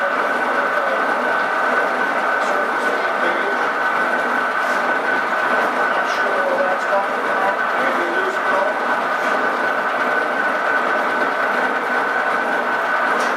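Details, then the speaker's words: Refurbished Doall bandsaw running, with two bad helical gears replaced by homemade spur gears: steady high gear whine over an even mechanical hum with no knocks; the spur gears are noisier but run fine. "it is noisy all the older more easy side but when I replaced those two bad gears in the air the gears that I made was Street cut because I'm not I'm not set up to cut helical gears so I cut to spur gears"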